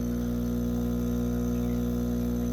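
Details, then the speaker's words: Eco Plus diaphragm aquarium air pump with rubber feet, all four ports open, running at full airflow: steady loud mains-rate buzz and even drone, normal but noisy operation. "So that's the Eco Plus. A little bit noisy already."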